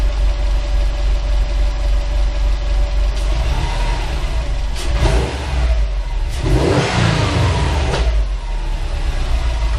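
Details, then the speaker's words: Subaru, turbocharged, with an HKS SQV4 blow-off valve just installed and no retune, no check engine light; engine blips up from idle and a sharp single exhaust pop cracks out as revs drop, fuelling off. "but that pop was new I didn't rev it high enough because I know my nees are going to fuel have fun Po and that's what you get a little [Music] Pop"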